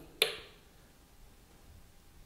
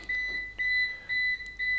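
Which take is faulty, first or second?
second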